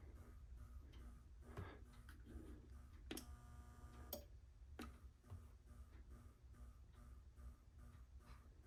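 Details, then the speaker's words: Brand-new Schumacher MC1281 battery charger (the owner's second unit), plugged into the wall with nothing connected: a faint, steady pulsing whine about twice a second that never stops. The owner doubts this is normal. "it makes this woo woo woo woo woo forever without even being plugged into anything or hooked up to"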